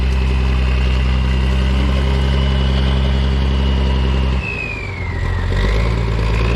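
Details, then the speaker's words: Military diesel truck, started right up after sitting long (a disconnected wire found): even idle about 220 pulses a minute, clean rev and settle, no knocks or misses; runs really good and clean; normal idle and revving. "pretty sweet this is a nice one this thing runs really good everything works just works on it and it's clean"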